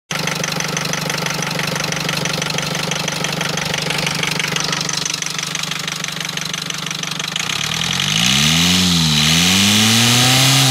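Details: Rover diesel engine at idle with a steady knock about three times a second that grows sharper as revs rise; knocking engine, cause unclear.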